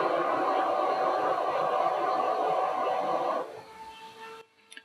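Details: Elegoo Neptune 2S 3D printer power supply stock fan, running with case open: loud airy rush with faint tone that changes sharply as the grille is placed over it; turbulence from air hitting the narrow grille causes the noise.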